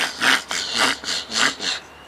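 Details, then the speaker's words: Fishing rod: nylon insert missing from a rod guide eye, so bare line rubs on the metal and vibrates down to the reel, first suspected as sand in the reel; five harsh rasping strokes, about two a second, as line is pulled. "So what was happening is the string rubbing on the metal was making the noise, and it was vibrating all the way down to the reel."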